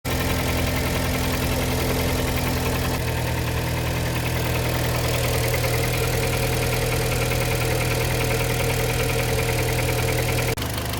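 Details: Kia Sportage 3, 122,000 km, cold engine before service (oil change, throttle and injector cleaning): steady cold idle with a dull metallic knock about three per second; knock disappeared after service, timing chain replacement planned.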